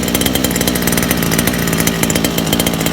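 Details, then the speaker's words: First start of Kayla's two-stroke motor: fast even buzz, no stumbling or surging; smooth break-in idle, richer than it should be. "Break the thing idle. It is richer than where it's supposed to be."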